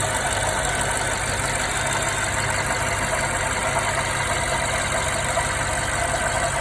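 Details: 2016 BMW 550i, 58,000 miles, drives perfectly with no codes, just bought: steady idle with a faint, fairly quick knocking running through it; real engine knock, source not identified.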